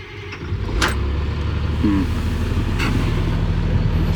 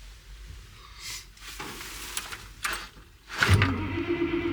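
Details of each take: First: CAT 336 excavator that won't crank in cold weather, engine warmed 10 minutes then restarted: warm diesel turns over and catches promptly into a steady deep rumble; warm cranking normal, cold fault not reproduced. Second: CAT 336 excavator reported not starting after sitting over Christmas break, about 0 degrees: starter turns over laboriously at about four beats a second before the diesel catches and builds to a rumble; cranking is slower than it should be in the cold.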